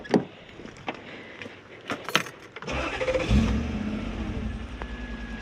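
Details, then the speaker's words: Toyota 1UZ-FE V8 (Surf/4Runner) after repair: catches and flares up cleanly before settling to even idle, as it should; healthy start with rev flare. "It's got a nice flare. So it flares properly when you start it. Revs up. That's how it should do."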